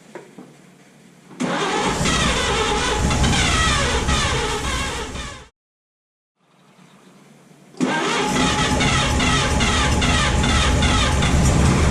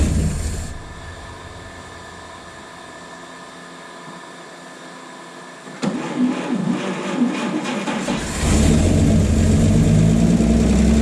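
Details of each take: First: 1951 Chevy 1430 pickup inline six, seized motor freed with ATF in cylinders, last on road 1976: starter drags engine sluggishly about three turns a second, spins more briskly once given a 12-volt boost; slow cranking. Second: 1951 Chevy 1430 pickup inline six, formerly seized, fed from a jerry can with idle turned up, replacement fuel pump suspected bad: six catches and settles into steady, even idle, picking up smoothly when idle raised; normal idle.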